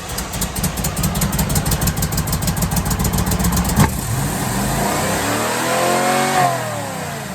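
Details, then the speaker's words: 1978 Chevy Camaro with mystery rebuilt cammed 350 small block, after idle screw turned up a full turn: lumpy cranking, then catches and races to a high roar; idle set far too high. "What that was the idle is turned up to the fucking moon. So it's like, we're taking off, baby."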